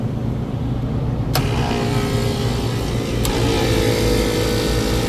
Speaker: Oh yeah, this guy's dead. Compressor sounds like dirt. Let it run 58 amps. We're gonna blow the main right now. Yeah, this guy's dead. Bad compressor. Running at 58 amps.